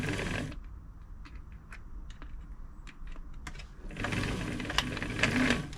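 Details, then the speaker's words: Singer 507 sewing machine during service, covers off, reverse stitch button operated; dry, uneven clattering and ticking from the reverse mechanism underneath; owner suspects it is dry and needs oil, possibly a loose gear. "doesn't sound great hopefully I can get that quieter they are a little bit noisy sometimes when the covers are off"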